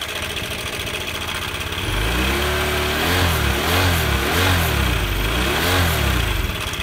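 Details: Honda Air Blade scooter, idling then revving: loud metallic clatter on one side of the engine swells with each throttle blip. Cam chain rattle from a failed cam chain tensioner.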